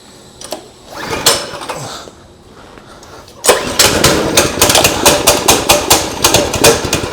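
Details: New Predator 212cc engine just fitted to a Coleman 200 mini bike, first start on choke: a few quiet pulls, then it fires and settles into a rapid, slightly uneven putter; starts and runs normally.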